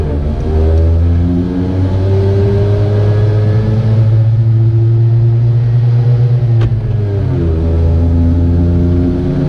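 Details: Piaggio Ape 50 small two-stroke engine buzzing and revving up and down unevenly with a rough, irregular note; weird abnormal engine noise, cause unclear.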